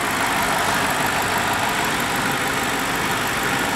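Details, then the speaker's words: 2010 BMW 550i M Sport V8 with rebuilt title, hood open: even, steady idle with smooth hiss, no ticks, knocks or weird noises, no engine smoke; normal idle. "as you can hear there are no weird noises sounds great no engine smoke whatsoever"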